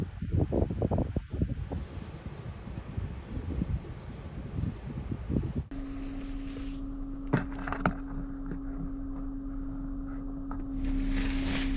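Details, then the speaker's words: 12V cooler in a kei camper after about 10 hours overnight, cabin well cooled, about 250 W draw with sub-battery at 52% and about 37°C outside: steady low hum with a faint constant compressor whine after handling noise; normal running. "おはようございます。クーラーしっかりついています。で、車内もよく冷えています。"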